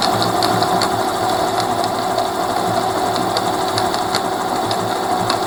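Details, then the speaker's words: Rear hub motor of a Mercane Wide Wheel electric scooter spinning: fast, regular ticking over a steady motor whir, as if something came off and small parts are loose inside the hub; cause unknown. "I don't know what it is but it is sound like this little boot that's losing their necks just spinning around but it just sounds terrible"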